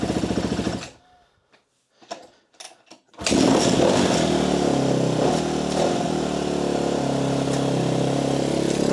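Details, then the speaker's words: 2013 Kawasaki KX250F after a dropped valve, with head and valves replaced, timing and valve clearance checked, kick-started: settles into a slow, lumpy low idle; valve noise gone but occasional internal slapping, cause unknown. "There's still something wacky going on here a little bit. The noise from the valves is gone, but there's something every once in a while slapping around inside this engine, and it does not want to idle properly."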